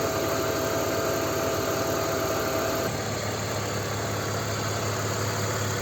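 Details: BMW 325ci E46 M54 inline-six after 100 km on oil with Liqui Moly lifter additive, added for lifter ticking: an even idle hum with a steady beat and no clear lifter tick, so the idle is normal.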